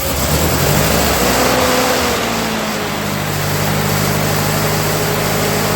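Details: 1948 Ford 8N tractor during rebuild, first start after fitting alternator and new 5/8 x 44 in fan belt: throttle blip settles into smooth even idle with steady low note, no knocks or misses; runs healthy.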